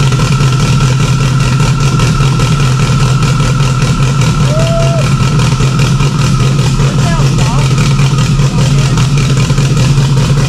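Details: Freshly installed stock OEM Subaru EJ257 longblock in an 1100+whp STI, first start with a fuel leak under the intake manifold. It holds a steady, loud low drone with no ticking or knocking; normal clean idle.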